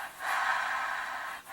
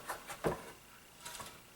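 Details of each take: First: Hoover Tempo Widepath vacuum motor shaft spun by hand during teardown: soft, even whir, the bearing sounds smooth with no grinding, though the commutator is blackened and scratched from brush arcing. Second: Hoover Tempo Widepath vacuum motor turned by hand with the cover off: slow rasping scrapes about every half second, likely from worn carbon brushes.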